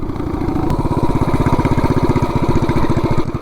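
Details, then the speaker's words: 420cc single-cylinder minibike after new clutch and gear setup, 0–30 mph launch in 3.24 s: hard regular firing at high revs while it barely pulls, centrifugal clutch slipping from the start. "at 3.24 and you could hear the clutch slipping from the beginning."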